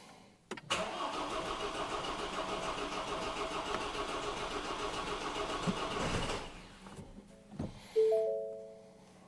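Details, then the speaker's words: Three-year-old truck, restarted after five fuel-pump priming cycles hoping for a clogged injector or fuel fault: long labored crank, then uneven strained barely-running for a few seconds before dying; not the fuel system, engine is destroyed. "Oh. Uh-oh. Let's see again. It's running, but barely. Yeah, so that wasn't it."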